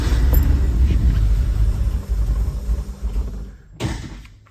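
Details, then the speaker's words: 1979 Porsche 911SC with CIS fuel distributor found bypassing, ignition restored, CIS and timing not yet adjusted: deep uneven cranking rumble, about four pulses a second, that never catches because all the gas was pumped out of the tank. "Oh, I know what it is, guys. I pumped all of the gas out of the car."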